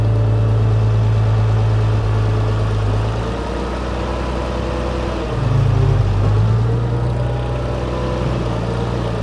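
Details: Farmall 460 tractor running after changing and cleaning plugged hydraulic filters that had disabled loader, bucket and power steering: steady low drone with slight rise and fall in speed, no knocks; normal running.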